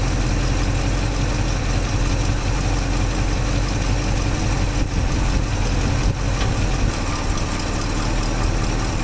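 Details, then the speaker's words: 1964 IH Travelall C1100 V8 after timing set around 15-19 degrees and idle adjusted, now about 600 rpm, warm: low, steady burble at slow even idle, no misses or knocks; sounds much better, success. "sounds so much better. What? It's actually at 600 now."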